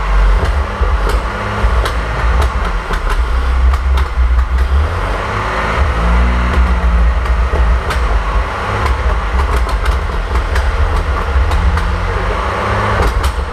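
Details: 1927 Avions Voisin C11, 2.3 L six-cylinder sleeve-valve engine, first start after rebuild, not run for about 60 years: deep, steady rumble with even beat, no knocks or misses; running cleanly.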